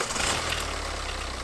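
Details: BMW 118d, N47 2 L diesel, just started after replacing the rattling, leaking water pump and refilling coolant, checking for leaks: settles into a steady low idle, even, no knocking or squealing; normal idle.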